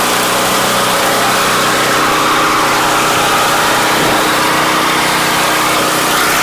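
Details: Giant Vac thatcher power rake, small single-cylinder engine not taken apart during restoration: a steady, even drone with no misses, knocks or surging; running healthy.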